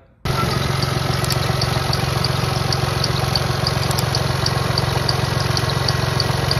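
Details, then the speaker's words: BMW 1 Series 116d diesel idling, customer complaint of a squeaky belt. A thin high squeak and chirp rides over an even idle, from the worn auxiliary belt and tensioner, recorded before both are replaced. "the belt is very squeaky and what we're going to do is we're going to change the belt and the tensioner today"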